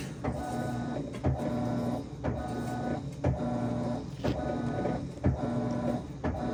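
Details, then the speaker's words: Whirlpool/Maytag WTW5105HC2 top-load washer in factory diagnostic mode: after the lid locks it senses, and the motor hums in short pulses with a whir then a click, nudging the drum. Normal drum activation. "The lid just locked, so it's sensing. So whenever the lid locks, you're either going to be activating the drum of some sort."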